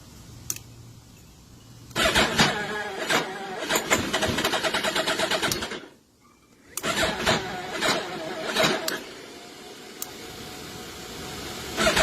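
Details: Suzuki Hayabusa with a battery problem: two long cranking spells with the starter churning but the engine never catching, a no-start from a weak battery.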